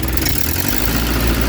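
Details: 1972 Triumph Dolomite 1850 automatic after a full ignition refresh with a new coil and an electronic ignition module, revved up: steady, even roar with no misfire or stumble. The ignition fires cleanly and the module light goes solid.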